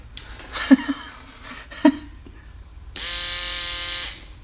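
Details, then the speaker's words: Electric vane pump from a Toyota Corolla EVAP charcoal canister, bench-tested after being taken apart and reassembled with no bad contacts or rust found: after handling clicks, a steady even motor whine with no grinding; the pump runs perfectly. "this is fully functioning vein pump which is ran by electric motor"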